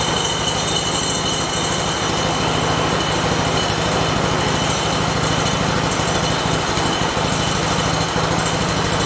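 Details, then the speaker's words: Shop mini bike, started after the chain was loosened slightly: light engine buzzes at a fast, steady idle but the drive keeps trying to pull; clutch suspected of engaging at idle, not confirmed. "I'm going to start it up and just make sure that yeah see it wants to go with it which is what I didn't want"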